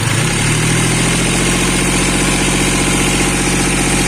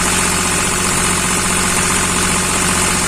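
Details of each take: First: Hyundai Xcent diesel, after a faulty high-return injector was replaced with a used one: steady idle with even regular clatter, no stumbles or misfires. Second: Hyundai Xcent diesel with Delphi injection idling: harsh rattling engine knock and slightly uneven beat, diagnosed as low fuel pressure and misfire from a faulty injector.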